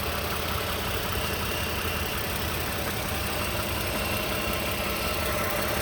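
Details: 2015 Toyota Sienna SE with 71k miles, petrol V6 at idle: busy, diesel-like rattling clatter over steady running; cause unknown.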